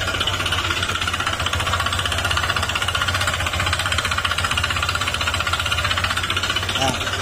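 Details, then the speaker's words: Honda ADV160 scooter at 37,902 km, rarely used: the engine runs with rapid, steady metallic knocking over a busy ticking top end, louder under acceleration. Diagnosed as a worn connecting rod, not the CVT or magneto; the engine needs an overhaul. "Kapag ganyang tunog, connecting rod po yan mga sir, wala po yan sa panggilid."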